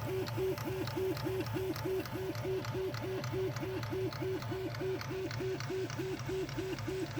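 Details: Prusa Mini+ 3D printer: sharp click at each direction change during short, rapid left-right X-axis bursts, about twice a second, apparently from the X-axis motor area; extruder normal; support suggested tightening the idler screw, but it was already very tight.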